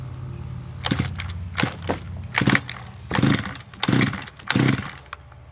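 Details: Redcat Rampage XT RC monster truck two-stroke after a new carburetor, spark plug and power switch: high, buzzy blips in short bursts about once a second, picking up cleanly each time; it now runs fine.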